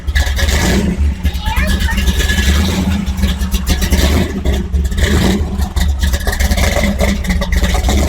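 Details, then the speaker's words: 1964 Chevy II gasser started after a year in storage, warming up: a deep, steady V8 burble with a lumpy, even beat and no knocks or misses; it sounds good, probably loud enough to overload the microphones. "this thing sounds so good it's too bad it's probably blowing out the microphones here but we'll let this thing warm up a little bit"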